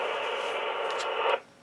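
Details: Icom IC25A VHF FM transceiver with an inoperative squelch circuit and a transmit problem: a constant open-channel hiss with no signal, cut off abruptly, because the squelch is stuck open.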